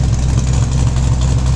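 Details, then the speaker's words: LS-swapped third-gen car with a new alternator fitted, on a Holley startup tune and not yet dyno tuned, idle reading 2–3%: a deep, even V8 burble with no skips or squeak, all 8 cylinders firing. Normal idle. "Sounds a lot better with no squeaking. And it sounds a hell of a lot better on all 8 cylinders."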